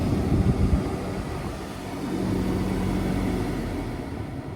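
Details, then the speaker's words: Kenworth T680 HVAC blower motor after rebuilding with new 608D bearings, running at full speed: smooth, steady, quiet hum with no grinding, rattling or wobble; bearings healthy. "it's so quiet now like brand new so now I'm going to go full speed wow"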